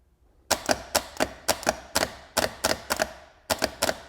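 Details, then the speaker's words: Repaired AutoZone remanufactured starter for a 1983 Porsche 944 on the bench, faulty shifter fork suspected cause: crisp sharp clacks in quick pairs, about three per second, pinion snapping out cleanly; solenoid engaging beautifully. "Bang, bang, bang, look at that."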